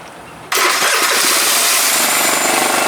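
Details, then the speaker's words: 2012 Piaggio Typhoon 125cc scooter after carburetor float adjustment, air filter off: catches instantly and settles into a steady, buzzy idle with no stumbling; possible rich running still to be checked; normal start and idle. "Boom. Back in business, I hope. Yesterday's adjusting and trying, you know. Boy, it sounds different with that air breather off."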